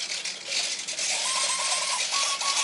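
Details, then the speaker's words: E-Flite Beast UMX 3D ultramicro on the bench, battery armed, stabilization active: rapid light clicking and faint buzzing whines as the servos make small corrections. This is normal stabilizer servo activity. "now you're starting to hear the servos kind of clicking a little bit"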